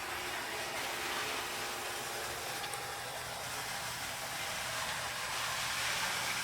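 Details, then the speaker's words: Pennsylvania 9643 Athearn model locomotive with light: good start, soft even motor hum under light hiss, runs nice and smooth; normal running. "Good start. That one's got a light. Runs nice and smooth, sounds good."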